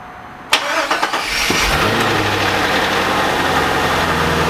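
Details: C5 Corvette first start after 4+ months off, following harmonic balancer and front subframe replacement: short starter whirr, engine catches within a second, then settles into an even, steady idle with no knocks or misses.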